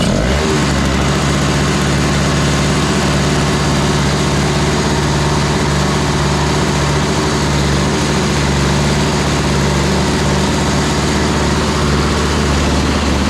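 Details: Toro Powerlite single-stage snowblower, model 381182, 98cc two-stroke, after a new primer bulb was fitted, started with choke and no starting fluid at 51°F: steady, even buzz holding one speed, no hunting or stumbling; normal running.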